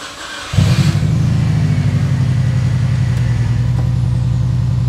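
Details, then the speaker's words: Subaru WRX first start after the gas tank was derusted in the car with Evapo-Rust; quick crank that catches at once, fuel pump running, settles into a steady even idle; normal start and idle. "There it is. Fuel pump is running. Car's running. Oh my gosh, this is exciting."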